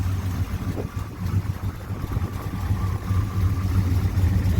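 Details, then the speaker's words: 1966 Chevelle SS clone, 327 small-block V8 with 4-speed: deep, steady burble at idle with an even lope and no knocks or ticks; engine sounds healthy. "all right we're back out here we got it fired up sounds healthy"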